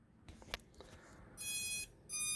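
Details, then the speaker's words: BetaFPV F4 12A all-in-one flight controller ESC on battery plug-in repeats its last two shrill startup tones after connection clicks, though motors spin in Betaflight and receiver shows stick inputs. "See, and I keep getting the beeping. I don't understand why it won't go away."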